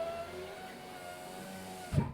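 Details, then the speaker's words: 2017 Fiat 500e driver-side window after replacing the regulator/motor assembly: smooth, even motor hum with no grinding, ending in a firm thump at the stop; window goes up and down normally. "window goes up window goes down window goes up one more time window goes down window goes up I can do this all day"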